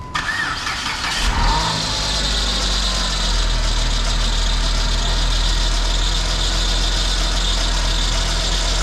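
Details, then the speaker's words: PT Cruiser GT 2.4 Turbo race car on jack stands after replacing a CV axle with stripped splines that caused transmission grinding: starter whirr, then a smooth engine hum, wheels spinning, no grinding; motor mounts shot. "We got spinning wheels. Second gear. Beautiful. Third, fourth, yep. That's good. We got all the gears, we're good."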